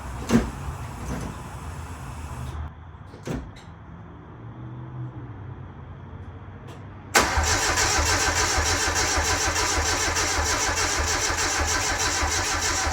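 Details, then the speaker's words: 850hp engine first start after rebuild following head stud failure from 50psi boost and over-torqued studs; starter spins a few seconds, pause, then fires into steady even idle without knocks or ticking; healthy start. "I'm just going to start it up now just to kind of check everything see if there's any weird noises"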